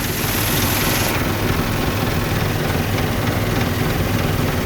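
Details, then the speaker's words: Dodge Dakota loaded with heavy scrap, idling with AC off and the electric fan running, possibly at operating temperature and overheating: heavy, uneven low rumble and shaking throb with no clean misfire beat. Owner suspects the fan clutch or electric fan; not confirmed. "nothing's on why is this sucker vibrating like this got the beard that fan clutch wow"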